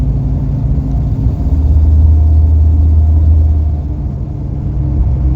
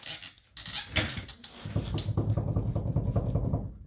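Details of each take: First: Dana 60 front axle truck after wheel bearing and ball joint replacement, cruising at 40 mph: only low even tire and road rumble, no bearing growl or hum; wheel bearing noise gone. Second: Dana 60 front axle on a salt-belt ex-plow truck with a V10, wheel spun off the ground: a gritty, rhythmic rumble pulsing with each turn. The noise also varies when swerving on the road; bad wheel bearing, to be replaced.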